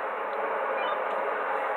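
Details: Uniden BC365CRS scanner radiating HF interference into a DX-394 receiver on 20 m, whether on or off: constant hiss of static with no signal behind it; the noise gets worse with the antenna connected.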